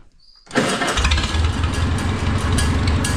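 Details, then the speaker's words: Oliver 66 tractor after replacing its failing carburetor with a Marvel Schebler TSX: a quick crank, then it catches at once and settles into a firm, steady idle, a clean, healthy start. It runs better and loads up less, with slight gray smoke still noted. "Oh yeah, I like that."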